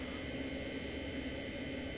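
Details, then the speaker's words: Webasto-style diesel heater with a silent fuel pump, at max power H6 and 25°, heard in the bedroom with the outlet under the bed: soft, steady airy whoosh and faint hum, no pump ticking. No louder than an electric fan heater; running normally. "donc ça c'est mon bruit en fait globalement dans ma chambre tu vois c'est pas grandchose c'est pas plus que un soufflant électrique"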